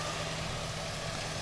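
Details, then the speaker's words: Chevy Vortec V8 truck idling smoothly and evenly after replacing the O2 sensor on the bank that was dropping out; wiring checked good, truck fixed. "It's running really nice now that we got that O2 sensor swapped out."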